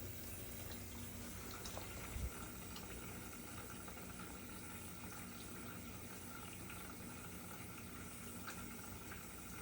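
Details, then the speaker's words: GE dishwasher (not washing, stuck in drain, FTD error) on test: quiet, steady rush of water into the tub with no pump strain or clunks; normal water fill before the wash starts. "And watch it. It's gonna fill up, then start to wash. And while you're there, go ahead and check for leaks, just to make sure that everything's good."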